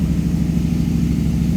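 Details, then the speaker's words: 2004 Modena Classic Design Ferrari 250 GT California Spyder replica, cold start: brisk even burble at a raised cold idle, no knocks or misfires, oil pressure 70 lb; normal high idle when cold that drops as it warms. "All cars, Americans specifically, will idle high when cold and go down as the temperature progresses."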